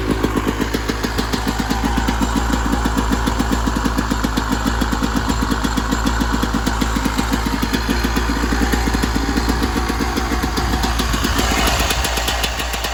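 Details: 1996 Yamaha YZ250 two-stroke after carb tune-up for rough low-end idle (pilot jet suspected), first start after a couple kicks, still cold: steady even crackling idle, no misses or surging; idle much better, carb running clean.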